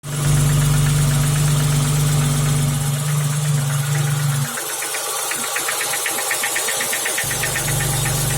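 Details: BMW E34 at steady idle: sharp, regular knock about four times a second, a deep internal engine knock; owner suspects a failed piston pin holding the connecting rod.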